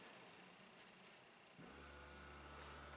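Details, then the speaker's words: 2012 Jeep Patriot after replacing ABS control module for code C2200 and initializing it, pump commanded on by scan tool: after a second of quiet, steady smooth low hum, no grinding, smoother than old unit; normal ABS pump operation. "I don't know if you can hear that or not but it's nice and quiet smooth sounding so that gives me confidence that this should be a good fix"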